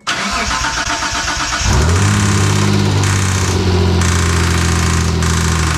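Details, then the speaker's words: 1992 Dodge Stealth R/T twin turbo, first start after a timing belt install, with good compression and oil pressure: it cranks, then catches into a rough idle with a steady fast tick over it. Source unknown, so the valve cover comes off next. "all right looks like we're on plan c we're going to remove the valve cover we've got to tick somewhere we gotta find it"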